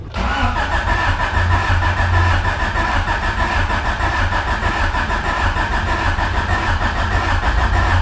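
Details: Honda with manual transmission swap, first crank after install, ECU plugged back in after oil priming; steady even starter churn with constant whine, no firing pulses catching; cranks but won't start, possibly no spark.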